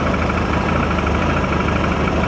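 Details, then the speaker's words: Mid-1990s Mercury 115 hp inline-four two-stroke outboard on Ranger bass boat, after replacing a missing rectifier (16 A stator), battery 13.1 V: starts right away, steady even burble at idle; normal idle. "So, if I fire this thing up, it starts right away."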